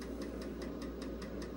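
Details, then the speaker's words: Vintage IBM PC/XT floppy drive not clamping the disk properly, so the hub runs off-center. Sharp, even knocks about five per second over a faint hum. A replacement drive is on the way. "one of the things that this floppy Drive doesn't do correctly is it's not clamping down properly so you get the knocking sound of the Hub being off center"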